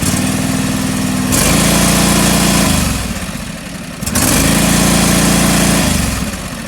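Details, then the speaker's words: John Deere 445 twin running cold, still warming up, during coil test; uneven lumpy idle dipping and surging; owner suspects the cold engine is getting too much fuel, running rich. "cold so that could be why it is giving it too much fuel and that could be the issue"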